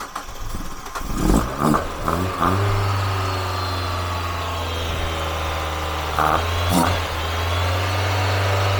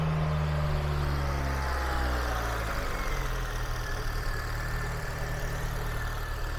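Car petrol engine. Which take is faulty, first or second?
second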